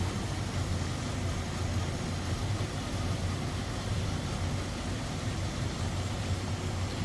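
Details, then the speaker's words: 1935 Pierce-Arrow Model 845 limousine, 385 cu in straight-eight with Stromberg carb, idling near the passenger/exhaust manifold side: a soft, low, even rumble with steady pulses and no ticking or knocking. Clean, quiet idle. "check this thing out isn't that crazy how quiet that is"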